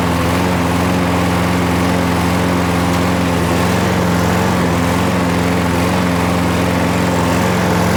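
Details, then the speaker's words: Toro Super Recycler mower with a 6.5 hp Briggs Quantum engine that, after winter storage, would only start on starting fluid. Running after repair at steady speed with an even, unbroken beat and no misses or surging: runs clean. "wow guys well there you got it it's all it needed"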